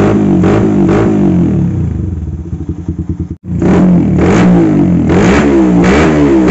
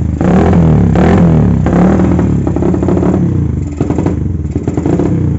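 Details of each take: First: Carbureted motorcycle with vacuum fuel tap, after fixing stutter at low and mid rpm without retuning carb or changing plug: crisp even blips, clean pickup, no stutter, now able to idle again; normal idle and revving. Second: Carbureted motorcycle with vacuum fuel petcock, at idle; uneven stumbling idle with lumpy surges and hissing intake suction, runs rich wasting fuel with fuel smoke from exhaust; ignition and electrics fine, carb cleaning didn't help, smooth when throttle opened.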